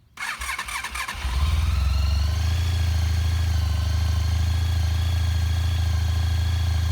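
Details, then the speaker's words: 2003 Honda ST1300 ABS motorcycle, not run for about 24 hours, fires almost instantly after a couple of cranks and settles into a smooth even low idle with no misses; owner says it always starts like this, hot or cold: healthy cold start. "The bike hasn't been running about 24 hours. And that's how it always starts, hot or cold. Beautiful running bike, always has been."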